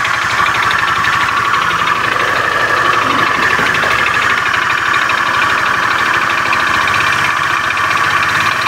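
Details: Honda Beat FI scooter (complaint: rough starter and engine) idling with a harsh, fast metallic klotok-klotok clatter; mechanic attributes it to a worn, damaged con rod (stang seher).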